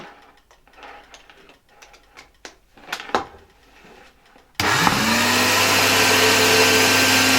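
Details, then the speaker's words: 1970 Alfa II vacuum cleaner right after its broken motor was replaced: a steady, even high whine with smooth airflow roar, running normally. A dust cloud came out on first start, and the owner thinks the bearings can be heard on stopping. "It works quite well, although a cloud of dust came out of it after the first start - maybe it wasn't visible in the recording."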